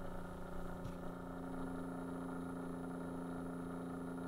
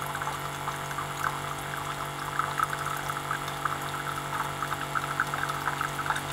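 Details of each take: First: Keurig coffee maker that has failed, microphone tipped toward the quiet pump: faint steady low hum with no pulsing or flow, the pump turning extremely slowly and no water pouring. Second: Keurig coffee maker water pump after its drive circuit's pulse width was modified: steady, even hum running fast and smooth, water pouring and filling the cup; normal pump run.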